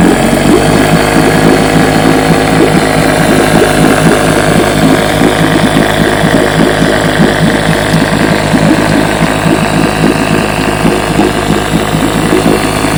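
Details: Fully restored 1958 Johnson 7.5 hp two-stroke outboard, barrel test without silencer fitted: crisp even burble at steady speed, regular firing, no misses or knocks; runs great, idles with a sweet purr, normal running.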